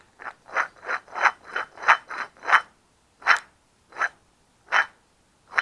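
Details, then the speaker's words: Removed front wheel bearing hub from a 2004 Dodge Dakota without front ABS, spun by hand near the mic: gritty, ratcheting rasps, not smooth, unlike the smooth new unit; worn bearing caused the noise at 40–60 mph. "You should be able to hear it kind of doesn't sound smooth. And then if you hear the new one, it's nice and smooth. No noise there at all. So that was definitely my problem."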